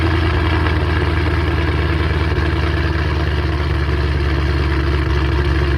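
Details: 3-valve engine after cam install on both sides, valve covers and coil packs refitted: steady even idle with deep low rumble and light tick on top, no misfire or stumble; normal idle.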